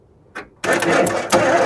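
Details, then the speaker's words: 1991 Ford F150 4x4 that sat outside for years, tried with a jump start: starter spins the engine with a steady, even whirr, but it never catches. Crank, no start; cause not yet found. "Well, she's not blowing."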